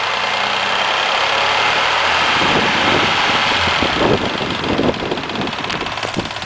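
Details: Mazda MX-3 engine warmed to normal operating temperature, at idle: light, uneven ticking clatter about three beats a second over a hissy engine note; source not determined.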